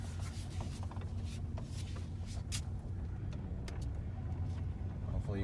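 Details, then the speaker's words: Dodge Ram truck with a low, rough grind and squeal while turning, felt in the steering, worse at start-up and when slowing into corners. The owner suspects low power steering fluid. "you can hear that on there noise when you go to turn and go forward again"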